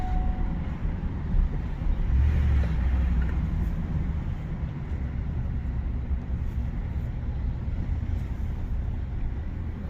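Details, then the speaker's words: 2018 Ford F150 5.0 with 8.8 rear axle and locker, previously water-damaged with a bang when reversing, driving: only a low steady tread roar from aggressive tires, no whine, growl or clunk from the rear axle. "It's got some decent sized aggressive tires on here, so you hear the tread. You don't hear anything from, and it's got that rattle on snap X."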